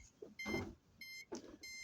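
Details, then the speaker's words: Flipsky 7070 110 kV motor and ESC on a breadboarded Arduino Nano control system for a robotic dinghy, 24 V supply: on power-up, short chirps and a beeping tone sequence, the normal ESC startup tune. "And this sound comes from the ESC and the motor."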